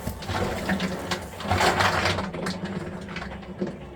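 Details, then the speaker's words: Whirlpool front-load washer, empty drum turned by hand: slow uneven sloshing and soft rattling as balls move in gelled, hardened counterbalance ring fluid, causing out-of-balance shutdown (possibly F01 code); not repairable. "and then the bb's in there doesn't help at all it's sloshing inside a thick liquid and so that is what will cause this to induce and out of balance and shut down"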